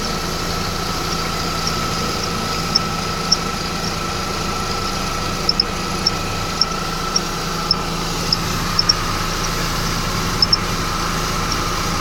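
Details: 2011 Mercedes-Benz E350 at idle, belt area: short, sharp high chirps popping up irregularly every second or so, with the belt tensioner seen moving in sync with the squeak. Cause not yet pinned down.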